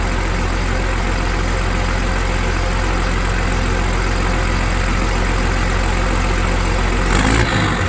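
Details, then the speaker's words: M1078 military truck converted to dump truck with new hoist and bed, straight-piped diesel: deep, loud idle through open exhaust, steady rumble without knocking or stumble, then a brief throttle blip; healthy, normal idle. "It's a straight pipe diesel sound. We all know what that sounds like. Well, most of us do."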